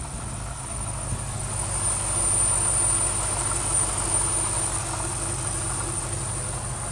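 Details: 2005-built BMW X5 4.4 V8 (E53), 140,000 km, new alternator and belt, fresh 5W30 oil, idling with a thin steady high-pitched whistle from the engine area over a slightly uneven rumble; also rattling, unstable idle, rev drops, worst on first daily start.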